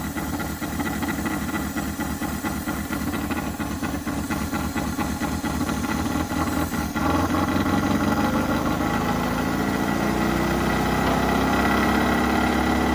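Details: 1983 Mazda B2000 carbureted engine, cold, air cleaner off: chugs unevenly at first, then about seven seconds in picks up to a steadier faster idle on choke pull-off as the bowl fills.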